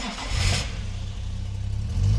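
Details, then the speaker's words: Series 1 Jaguar E-Type six after a complete ignition system overhaul, cold started with a little choke: brief crank, then it catches and revs cleanly with a deep, even exhaust note. Normal start, and the timing checks good. "A little bit of choke. There we go. Whee! Beautiful."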